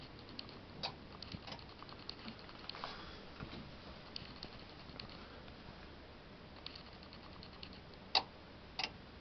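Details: Bosch WAY32541 washing machine, dead after a house power failure (display unlit), gives a sharp click roughly every 8 seconds from the back of the machine; intermittent, cause unknown.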